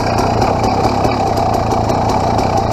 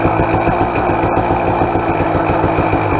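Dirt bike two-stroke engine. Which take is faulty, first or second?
second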